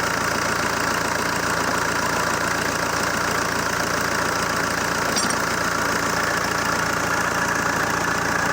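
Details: ZMZ-514 Euro 2 turbo diesel idling after repair (head refitted) that previously knocked: dense, even clatter at steady idle, no rising knock or misses; running healthily.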